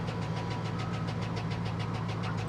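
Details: Salvage-auction vehicle that had sat a long time, idling steadily with a fast, regular light tapping over the low rumble, still there on a rev, with oil pressure present; suspected internal engine knock, cause not confirmed.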